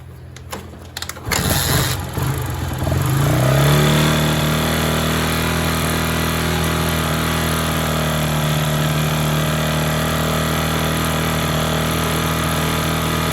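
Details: Honda Sonic motorcycle after top-end rebuild with new cylinder, piston and rings, idling: faint regular top-end knock, louder when revved hard; valves adjusted and cam chain not slack, still noisy; suspected piston hitting head.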